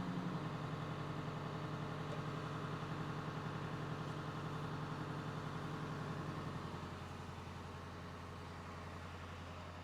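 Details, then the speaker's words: International 3800 school bus, T444E diesel, coming down from warm-up high idle as it reaches operating temperature: steady, even diesel clatter at fast idle easing down near the end; healthy. "so the bus is starting to come down from the high idle which means that it's getting up to operating temperature"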